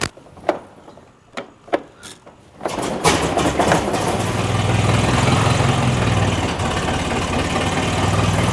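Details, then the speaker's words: 1913 Mercer Raceabout four-cylinder hand-cranked with priming and choke: a few clanks, then it catches and smooths into a steady, slightly lumpy idle after switching over to magneto. "then I switch over to Magneto see how it Smooths out"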